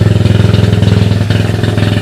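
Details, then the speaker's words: Honda ATC185S three-wheeler with Hi Performance ATC suspension, newly fitted gas tank and 12VDC portable GY6 CDI box, first start, idling by the garage: steady even single-cylinder putter, no knocks, rattles or smoke. "As you can hear, there's something running down by the garage, and what it is the Honda ATC,"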